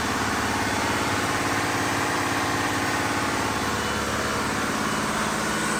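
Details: Diesel fire pump engine on its weekly half-hour test, isolation valve closed, with a loud, constant drone and no misses, knocks or speed swings; smooth and healthy, running normally.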